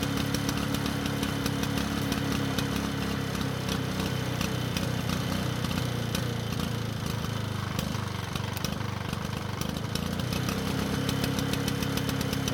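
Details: Lawn-Boy two-stroke mower after engine speed adjustment: running steady but slow and lazy, no pickup; engine speed now too low for mowing and can't be raised.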